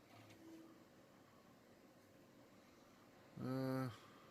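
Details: IBM PS/2 Model 90 (8590) desktop during initial testing and repair: quiet fan hum, then one clean half-second beep at power-on, a normal startup self-test tone; one memory stick suspected faulty, machine later boots Windows 95.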